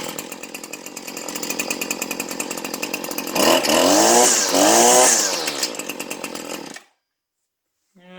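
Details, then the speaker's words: Husqvarna string trimmer, small two-stroke, stock untuned off the shelf on 95-octane fuel: steady buzzing idle, two clean throttle blips rising and falling smoothly, then shutoff; starts easily and runs healthy, normal running. "And it obviously runs darn good with it. It has no problem. Fires right up."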